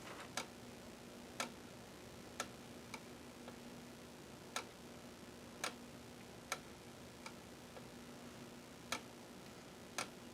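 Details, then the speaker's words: Amiga ZIF 500 floppy drive powered on with Amiga Test Kit 1.6: sharp dry clicks about once a second over faint hum, drive ticking instead of reading; head suspected to be getting stuck. "Alright, so that doesn't work for nothing. It sounds like the head's getting stuck."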